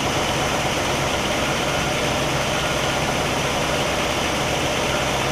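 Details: 1960 Pontiac Catalina 389 V8 at an even, steady idle with no misses or stumbles, Heathkit IO-20 ignition oscilloscope attached; all cylinders' patterns are consistent and the engine runs clean and healthy.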